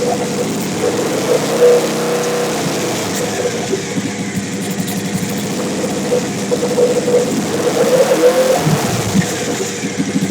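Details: Big-turbo Suzuki TL1000R V-twin with 560cc injectors and Power Commander, after idle tuning: fairly steady idle with a few small throttle blips, running clean without misses or hunting; owner happy with it, normal idle.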